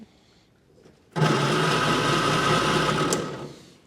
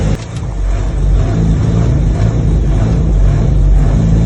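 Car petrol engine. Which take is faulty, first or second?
first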